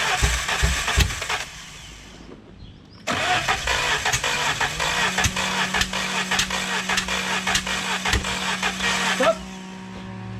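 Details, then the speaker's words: Peugeot 806 Procar replica engine cranking for a long time with weak, lopsided firing pulses that never catch; compression test shows zero on cylinders 1 and 3, about 11 on 2 and 4, so two cylinders have no compression. "on entend très bien qu'il y a pas de compression de sur deux cylindres on entend très bien que le peu de temps où il arrive à péter il pète sur deux cylindres"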